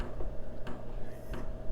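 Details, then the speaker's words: HCalory 4.5 L toolbox diesel air heater starting up while glow plugs heat: soft regular clicking of the fuel dosing pump over a low steady hum, normal sign it is working. "clicking now, indicating that it's working."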